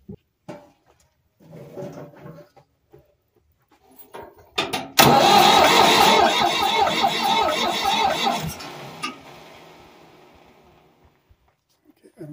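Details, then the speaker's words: Ford 4000 diesel tractor after injection pump inlet cover plate replacement, injector line loosened to bleed air: steady cranking about four compressions a second, never catches; air still in injector lines. "I can crank the engine to make sure I got some bubble out of here"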